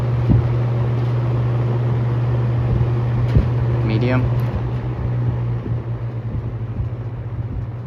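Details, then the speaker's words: Vintage shaded-pole box fan after varnishing: steady low motor hum, smooth even drone, no buzzing or clicking; the former racket is gone, though the cabinet may squeak. "see it doesn't make that noise anymore used to make a bunch of Racket"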